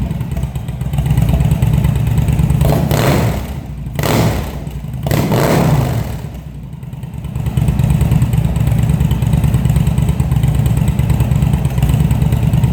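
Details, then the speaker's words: Cold-blooded engine after carb rebuild (CV carbs, vacuum slides), fed from a remote fuel bag with airbox and air tubes removed. It catches, then hunts and stumbles through blips before settling to a rough idle; needs tuning. "So without the air box or the air tubes or anything on it, it's going to run a little funny."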